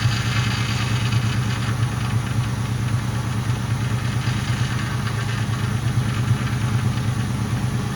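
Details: Mustang GT V8 at idle after air was bled from the power steering and the heater core was bypassed: a deep, even, low rumble, and the earlier power steering pump whine is basically gone. Normal idle.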